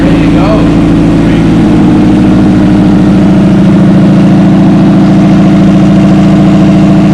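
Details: Honda K20 engine swapped into a VW Bug, running on its own after fixing the intake manifold air leak with a new gasket, fitting a new high-flow fuel pump and K-Tuned parts. Steady, even idle with a smooth low pulse, no hiss or stumble; normal idle.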